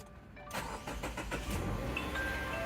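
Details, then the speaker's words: 2017 Subaru Forester after replacing the battery (Costco): short crank, catches at once and settles to steady even idle with no stumble; starts first try, confirming the old battery was the fault. "see it's running fine it starts at one shot"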